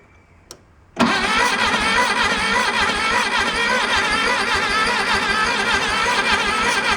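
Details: 1966 VW Beetle after replacing a leaking fuel line: the starter cranks at a steady, quick rhythm for six seconds but never fires. Dirty ignition points turn out to be the problem.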